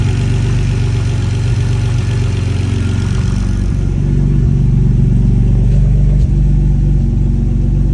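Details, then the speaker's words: BMW E46 ZHP turbo with freshly rebuilt forged M52 (new bearings, rings, forged internals, cams), first start on base map: strong steady low rumble, brief rev blip, even settled idle; healthy. "So, needless to say, I was super nervous for the first start, but everything went really smoothly. Runs really good."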